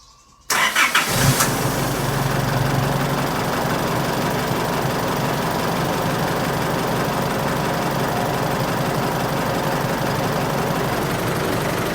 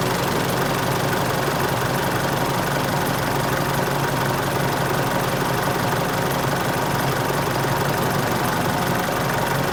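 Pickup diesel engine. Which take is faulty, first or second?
second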